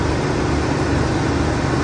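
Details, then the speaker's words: 1980 Ford F100 idling after new alternator and power steering belts: even low rumble with no chirp or squeal; first time without belt noise, normal idle. "The first time since I've owned this truck, I don't have any belt noise."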